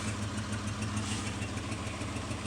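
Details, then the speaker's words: Mitsubishi Montero that previously would not idle and shook as if misfiring, now idling on its own, not cold started, with an emissions check-engine code: faint quick ticking over a steady idle. Suspected exhaust leak. "hear an exhaust leak right here you can hear that okay so we got some major progress here"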